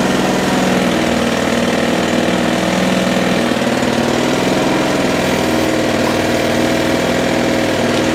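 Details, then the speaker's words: Mountfield 474 lawnmower from dump, single-cylinder engine running steady without shake (bent crank thought unlikely), revs a little low; may need a carb tune or dry throttle linkages lubricated, cause unconfirmed. "it's not shaking like like like a i would expect it to but it does want picking up slightly on the revs"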